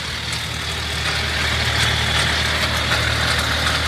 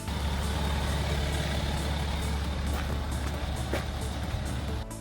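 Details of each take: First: BMW N57 diesel at idle: a dry, uneven metallic rattle rides over the clatter at the front of the engine, from a stretched, elongated timing chain. The chain is replaced in the car by the split-and-roll method without removing the engine. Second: BMW N57 diesel, the healthy reference sound for timing chain replacement: steady, even idle with a smooth low drone and no chain rattle or slapping; faint music underneath.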